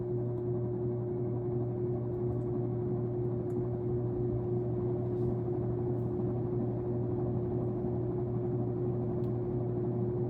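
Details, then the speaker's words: Sears Lasko Turn of the Century 52-inch ceiling fan, secondhand, bench-tested on high speed: a steady, loud electrical hum with a higher buzz over the fan that never changes; owner wonders if the light causes it, unconfirmed. "So I'm going to start on high. Wow, that hum is awful."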